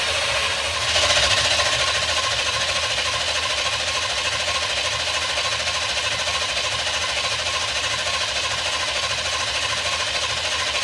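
Steady whir with quick, regular ticking as the V8 spins over, no grinding or hesitation; the starter cranks it normally.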